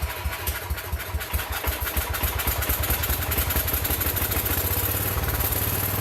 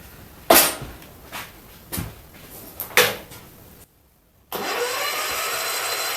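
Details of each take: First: John Deere 110 garden tractor pulled from scrap, first run after sitting for years; points had burned from jumping the wrong coil side, real battery jumped on. Single-cylinder fires steadily with an even beat, no knocking or rattling; some smoke from oil put in the cylinder. Normal running. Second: Mid-70s John Deere 110 garden tractor pulled from a scrap trailer, sat for years, first starter try after clearing packed dirt: clunks, then steady starter whirr turning it over without firing; no spark, no power found at the coil.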